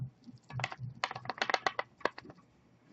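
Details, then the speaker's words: Cyborg DNA 20 23 mm vape mod with thin walls, shaken: quick bursts of light, dry clicks as the loose battery rattles inside the tube. "the battery rattles okay so this is a 23 millimeter mod with really thin walls they could have done without that rattle"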